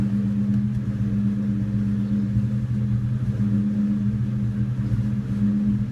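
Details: 2002 Ford Mustang GT V8 idle with a low rumble that stumbles now and then, an uneven lumpy misfire at idle. It is better after new plugs and coils and a cleaned throttle body and MAF. The misfire goes away while driving, with no loss of power.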